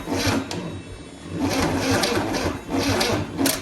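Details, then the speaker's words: 1963 Chevy 230 inline-six, sat about 35 years, bought on a pallet, first start attempt with fuel down the choke: starter drags slowly and unevenly, a labored chug about once a second without catching; weak battery, though spark present and fire spits from exhaust manifold. "Doesn't seem to want to spin over quick enough. Well, at least it's making spark on the cylinders."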